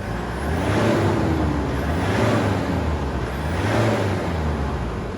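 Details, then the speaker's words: 2010 Ford Ranger (Mazda BT50) 3.0L turbo diesel, P0107 MAP circuit low input fault: after one can of intake cleaner into the manifold, the engine briefly exits limp mode and revs freely to redline in three strong, unrestricted sweeps with no hesitation or cut. "But the vehicle had actually come out of limp mode for the first time in days, and it was actually revving all the way out to redline."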